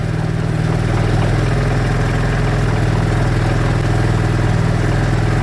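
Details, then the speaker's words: 2013 CF Moto Z6 after troubleshooting no-power-to-starter fault, key on, starts right up; steady, even idle with smooth low pulse, no knocks, misses or starter grinding; normal idle. "Key on. Yep, start right up."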